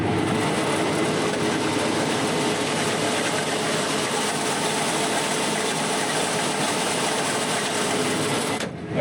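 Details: Pea-harvest combine feeder house: loud steady mechanical roar and rumble throughout, heard on every turn; feeder chain suspected.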